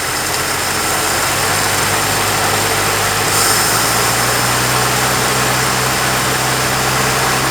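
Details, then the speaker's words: 1950 Plymouth six-cylinder, long sitting, fed gas by pouring, idling at 620 rpm: lumpy, uneven idle with an irregular chuff in the exhaust beat; two cylinders dead from bad plug wires. "Well, it's got a little bit of a chuff, doesn't it? We got a little bit of rusty town there. it might be missing. It might be running on."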